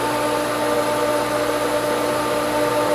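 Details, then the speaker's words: Pool pump at spring opening pulling prime with a lot of air in the line; steady hum with airy hiss while water surges in and out, still working toward full prime. "the problem is just getting air out of the line and then that screws up the whole thing there's a lot of air in the line"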